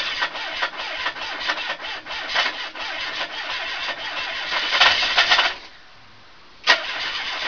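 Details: Ford Capri 2.0 Pinto petrol engine, newly fitted, idling: fast, steady ticking knock keeping time with engine speed; owner unsure whether bottom-end failure or something knocking elsewhere.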